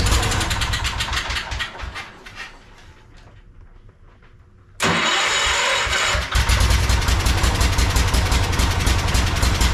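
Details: Project tractor's small engine, fed fuel from a Lucas oil additive container into the hose, with a slightly leaking fuel pump diaphragm. It cranks, catches at once and settles into a steady, even chug at idle with no stumbling. Normal start and idle.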